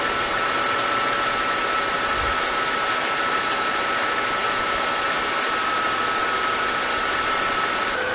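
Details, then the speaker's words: Mercedes-Benz S211 M272/M273 engine, warm, idling at 800 rpm after the oil pickup tube O-ring replacement; a rhythmic metallic tapping persists up to about 1200 rpm, cause still unknown. "however once the car is warm and idle drops down to 800 RPM very noticeable like rhythmic metallic tapping noise is still there"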